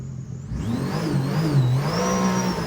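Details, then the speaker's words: 300hp supercharged 12ft aluminum mini jet boat on water test after rebuild: engine and pump pitch climb cleanly pulling away, no surging or slipping; gets out of the hole much better, smooth acceleration. "Oh my gosh, it's so much smoother! And it gets out of the hole so much better! Oh my gosh, it's amazing!"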